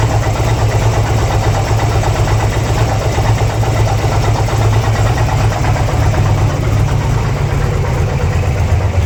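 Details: 2002 Harley-Davidson Twin Cam Ultra EFI V-twin at idle: loose, irregular clatter over a heavy thumping idle; abnormal engine noise, cause unknown.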